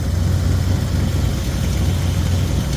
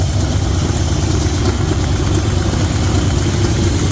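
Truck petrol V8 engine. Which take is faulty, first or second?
second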